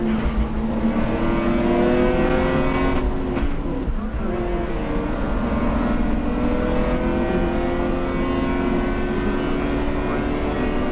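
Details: Lexus IS200 with an Eaton M62 supercharger kit and a new custom intake, at the drag strip: it pulls hard at high revs, then briefly stumbles and cuts out before recovering. Owner suspects valve flow straining the throttle body, not confirmed.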